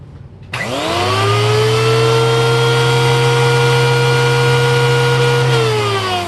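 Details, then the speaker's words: Old TriStar CXL vacuum's power nozzle motor, which drives the brushroll. It spins up to a steady high whine with a rough, gritty edge, then winds down. Worn motor bearings, owner plans a teardown and bearing replacement: power nozzle motor bearing noise. "so if you were wondering why I didn't do any airflow test with the brushroll spinning is because this is what the brushroll and more importantly the motor that returns the brushroll sounds like at the moment"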